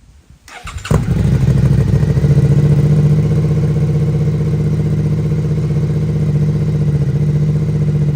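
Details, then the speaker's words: Rebuilt Suzuki SV650 V-twin, exhaust with dB killer fitted: starts first crank, deep loud lumpy burble settling to steady idle; owner hears little difference with or without dB killer, healthy engine. "உண்மையில் , DP killer இருந்தாலும் இல்லாவிட்டாலும் எனக்குப் பெரிய வித்தியாசம் எதுவும் தெரியவில்லை , ஆனால் அது இல்லாமலும் கேட்க நன்றாக இருக்கிறது."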